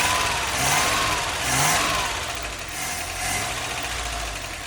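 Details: Toyota LN65 Hilux 253 V8 just started after a decade sitting, steady idle with light quick top-end ticking; valve train noise blamed on long storage, almost gone after 20 minutes idling.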